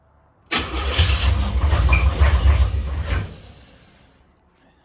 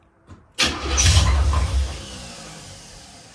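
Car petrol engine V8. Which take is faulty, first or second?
first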